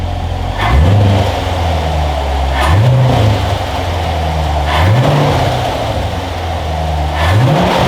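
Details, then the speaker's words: Corvette C7 V8 after installing K&N E-0665 air filter, warmed up: four quick throttle blips climbing and falling cleanly to steady idle, slight cold-air sucking noise audible from intake; normal revving. "I gotta say, that sounds good. It gives a little bit of the cold air sucking noise, not a whole bunch, but you can actually hear it a little bit more from the intake, from that little extra airflow."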